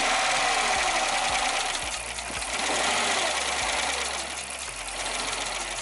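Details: 2006 Jeep Commander 5.7L Hemi at idle after lifter replacement for a lifter tick: even, steady idle with only light, quick injector ticking, no shaking, rough idle, misfires or lifter clatter; check engine light off. Normal idle.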